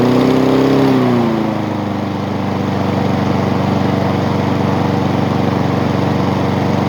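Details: Honda small engine after repair, with everything now moving as it should after earlier loading up. It catches, drops from a brief high note into a steady, even beat and holds without stumbling; running properly.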